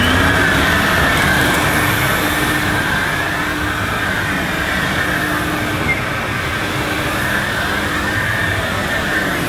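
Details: Electrolux 502 upright vacuum, about 40 years old, just unclogged and still needing a new belt, brushes and filters, pushed over carpet; a steady motor hum with even brush rumble, no grinding: motor and agitator sound fine.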